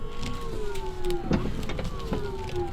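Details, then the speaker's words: Drift car with newly wired electric power steering pump on a controller: steady electric motor whine sagging slightly in pitch as the wheel turns, no grinding or rattle; normal operation, steering smooth, may need better bleeding. "Easy as smooth as butter. Now I'm not going to be fighting the car the whole time when I'm driving."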